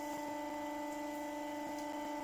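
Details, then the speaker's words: Motor at about 1400 rpm on boosted input voltage (switch flicked 10 to 20) with new bearings held by temporary plastic rather than glue; soft steady hum, no grinding or rumble. Much quieter than the old China bearings, which whooshed. "so much quieter"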